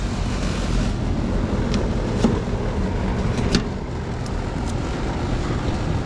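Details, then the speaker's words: Carrier GasPack set to cool: steady low compressor hum with an even drone and a few faint clicks, no knocking or rattling; compressor running normally, though the unit is not heating. "Alright, because the compressor came on, I'm pretty sure it's calling for cooling at the thermostat, or at least it's set to cool. Working."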